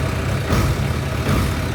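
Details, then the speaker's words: Motorcycle, cold, after throttle cable slack adjusted and grip repositioned: steady low engine note picks up cleanly and immediately with each small throttle blip; normal, sensitive throttle response. "já apertei é da mesa tá assim ó triscou acelerou tá demais tá demais tá demais"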